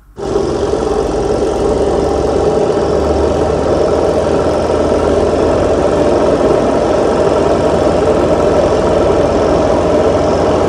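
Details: Spin dryer after replacing the dual run capacitor (4 µF and 12 µF) with a single capacitor of the same rating; previously it only hummed and spun slowly: motor now starts and runs at a steady whir, drum spinning freely with low rumble.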